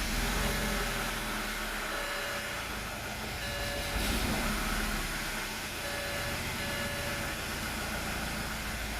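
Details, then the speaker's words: 2005 BMW E90 320i, N46 engine, after a new timing chain, oil pump chain and timed balance shafts, with VANOS solenoids replaced: a hissy, lumpy idle surging about 3-4 times a second that smooths when revved. It runs smoothly with a solenoid unplugged. Cause unknown. Rough idle. "it makes that noise believe that I'll rev it up to already and it smooths out you cannot hear that noise drops back to auto"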